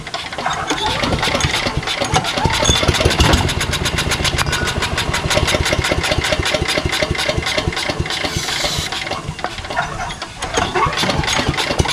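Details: Engine with a carburetor on starting fluid, choke on, after a pull: rapid, uneven firing bursts that stumble and fade and don't keep running. The carburetor is suspected, not confirmed.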